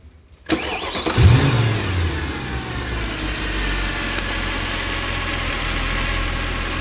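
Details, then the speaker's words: 2011 Mercedes E63 with 130k km, restarted after maintenance and a successful teach-in procedure, at 70°C and not yet at operating temperature: crank, catch, brief flare, then a smooth idle settling quieter with no ticking. Expected to be silent once fully warm. "Much better. It's gonna come even more quiet. When it comes at operation temperature and you drive a little bit, it's gonna be completely silent."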